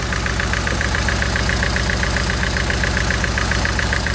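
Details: VVC petrol engine: lumpy low idle beat with sharp ticking about seven a second over it, misfire whose cause is not yet found.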